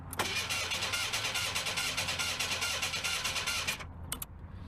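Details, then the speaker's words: Merkur barn-find car, cold, left sitting with no gas in it; starter fluid sprayed into the throttle body. The starter spins the engine in a fast, even rhythm for nearly four seconds, but it never fires. The owner suspects it only needs fuel. "I don't think I got no fuel in it I think if I put fuel it'll start right up I really do"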